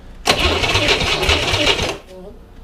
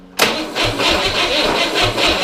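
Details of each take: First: 1961 Corvair air-cooled engine on a bench, sat 20 years, partly refurbished, coil wired hot to the battery: catches in a loud rough burst under two seconds, then dies to a faint tick with pops, backfiring through the carburetor; timing suspected, choke suggested. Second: Refurbished 1961 Corvair air-cooled flat-six on a bench after at least 20 years sitting in a field: cranked with ignition off, brisk even cranking pulse, no firing, turns freely without binding or scraping.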